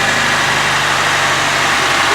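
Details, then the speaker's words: 1995 Honda Civic EG, manual, just restarted after a no-start: steady, even petrol idle hum with no knocking or rattle; normal idle. "I don't hear no damn rattling when you're hitting it. Sounds good to me now. Sounds fine to me."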